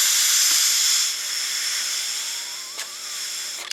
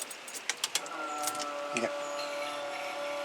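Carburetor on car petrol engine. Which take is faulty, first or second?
first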